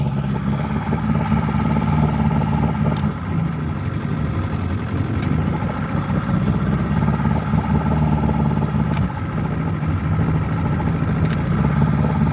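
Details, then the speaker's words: Outboard on a 1964 Glasspar boat, run in a test bucket while throttled up: steady, even low drone with no misfires, skips or knocks. It shifts and charges fine but loses its prime if left overnight. "As you can see, it runs pretty decent, no misfires."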